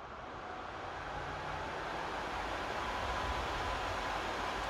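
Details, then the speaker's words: PS5 console fan with an adjustable speed controller on the fan port, set to about quarter speed, faster than stock. An even airy rush that swells slightly and then holds, moving significantly more air than stock, with no rattle or tick. "that has a significant amount of air and being pushed just with this little down"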